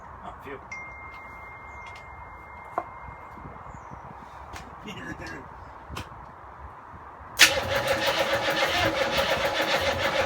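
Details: Land Rover Defender V8 diesel conversion, dry start with no exhaust or coolant, exciter lead fitted: after a quiet lead-in the starter churns the engine at a steady rhythm but it never catches; cause unconfirmed, preheat planned.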